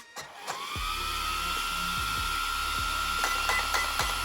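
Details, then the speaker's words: Traxxas X-Maxx Rocket 35mm 21,000 rpm motor cooling fan upgrade with aluminium case: spins up to a high, steady whine holding pitch evenly, light handling clicks, strong airflow; normal fan operation. "Oh yeah. That sounds much better, and that's, yeah, that is a ton of air that's pushing through."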